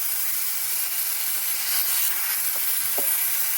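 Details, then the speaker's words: Trash-picked air compressor with broken regulator removed: constant sharp hiss of escaping air; owner suspects a leak around the hose missing its clamp, though pressure was starting to build. "There's still somewhere that it's leaking. Oh, that might just be around that hose where I'm missing a clamp back there."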